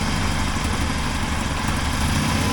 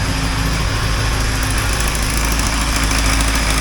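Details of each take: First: 1980 Triumph TR7 four-cylinder after engine reinstall, timing set with timing light and carburetors adjusted: steady even low burble, no misses, responsive throttle; one side slightly less happy, known exhaust leak; normal idle. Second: 1980 Triumph TR7 with the engine just reassembled and first running: loud, slightly uneven idle with a sharp puffing chuff at about three beats a second from an exhaust leak on one side, to be resealed later.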